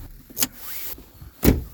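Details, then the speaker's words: 2004 Renault Clio, central locking not working, door lock actuator reconnected: two sharp clunks with a brief whirr between but the lock never latches; suspected stripped gear in the actuator. "Oh, interesting. Did you hear that? Okay. Yeah. Something tells me there might be something stripped in there. That's probably why it was disconnected."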